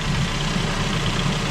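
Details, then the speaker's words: 2009 Ford Focus 1.8 Duratec 125 hp flexifuel petrol, 179,000 km, ex-Sweden, just started: steady, even idle hum, very quiet, with no squeal or chirp from the belts; normal idle. "Zapalimy, zobaczymy jak on chodzi. Mamy go chodzącego. Wszystko chodzi, jak widać, bardzo cicho, żadnych pasków nie słychać."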